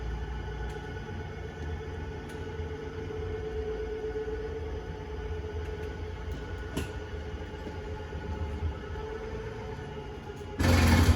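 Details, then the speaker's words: 2025 Forest River Surveyor 305RLBS slide-out extending: steady low motor hum for about ten seconds, then sharper wind-up and click at full extension; normal slide-out motor operation. "There you go. You heard the motors click."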